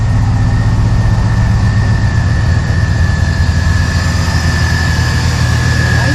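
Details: 1986 Chevy C10 with a swapped 6.0 LQ9 V8 and 4L80E transmission, filmed under the hood: a deep, even burble at steady idle with a faint whine above it, running smoothly without knocks or misses; normal V8 idle.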